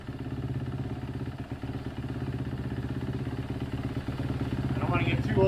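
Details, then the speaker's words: 2011 Kawasaki KX250F single after reassembly. Idle thumps steadily but drifts up and down, climbing toward the end. Hunting idle, but it now idles down and accelerates without hanging. "it's definitely got a weird wonky kind of up and down idle but that's much better I mean this thing actually is idling down and accelerating not hanging"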